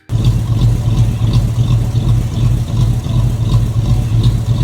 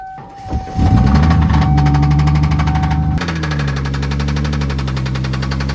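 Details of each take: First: 1995 Ford Mustang SN95, V6 with rod knock swapped for a 302 Windsor V8, now with exhaust fitted and own SCT tune: deep rumbling idle with steady lope, no misfire or hunting; sounds much better, runs properly. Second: 1995 Ford Mustang SN95 with original V6 before swap to 302 Windsor: engine pulls steadily at low revs with a faint regular tick about three or four per second on the drone; major bottom-end rod knock.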